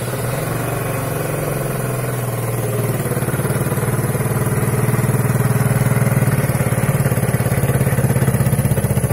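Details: Daelim 125 S2 Sport scooter, about 41,000 km, battery connected: fires and runs a few seconds with an uneven, lumpy beat, then dies; a closed intake stub is to be checked.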